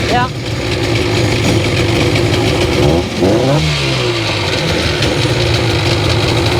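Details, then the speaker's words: 2001 Sea-Doo GTX RFI 787 two-stroke, out of the water, battery reading 12.7 V, reportedly had water in a cylinder: catches and revs, then settles into a lumpy, hunting idle. Still running rough. "It's still running pretty rough. Going to put it in the water and give her a good run up."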